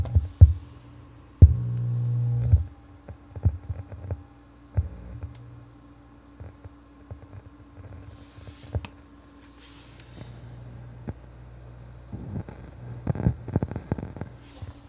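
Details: Philips subwoofer: low steady hum with irregular deep thumps, crackling and pops through the speaker, roughly once a second at times; owner suspects blown capacitors.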